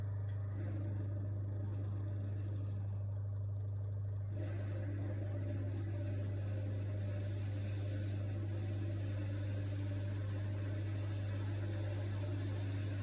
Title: Miele strange noise